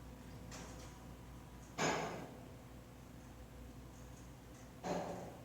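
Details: Kone EcoDisc elevator in a building completed in 2016: two sharp, loud clunks about three seconds apart over a low steady hum, like the brake engaging and releasing; owner was told this is normal brake noise.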